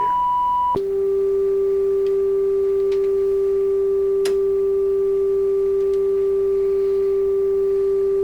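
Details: Nordmende 3004C radio, checking at 400 Hz during FM detector and stereo decoder adjustment: after a brief higher tone, a steady pure tone holds clean with no grating harmonics or hum; detector well aligned.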